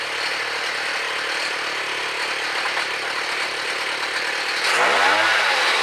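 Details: Gas-powered mobility scooter with rebuilt small engine, first run after input shaft repair, no wheels fitted, new chain and sprocket; quick even buzz with a brief rev near the end, no knocks or rattles; motor runs perfect, normal running.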